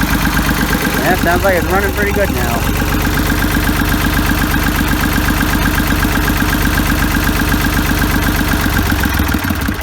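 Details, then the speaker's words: Ford 3000 diesel tractor, first start after freeing stuck plungers in the Simms injection pump, cleaning and testing injectors and bleeding lines at the injectors: some early rattle, then a smooth, regular idle clatter; running pretty good. "so let's see if we can uh get the fire up now look at that sounds like it's running pretty good so"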